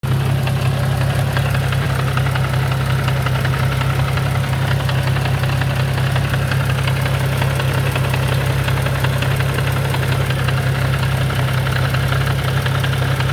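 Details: Nissan G35 coupe, six-speed manual, at idle in neutral: a dull, uneven knock about three times a second that goes away in gear and gets worse with the windows rolled up; cause unknown.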